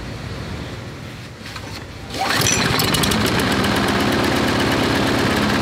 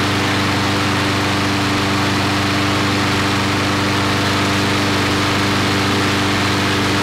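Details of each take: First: Briggs & Stratton 5-6 hp flathead lawnmower engine, measured about 2160 rpm before bending the governor lever: picks up and settles into a steady but lazy single-cylinder beat; governed speed set too low. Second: Briggs & Stratton 5-6 hp flathead lawnmower engine, after a long storage, with governed rpm raised from 2160 by moving the throttle linkage forward: steady, even high-speed drone with no hunting or surging; running well at correct governed speed.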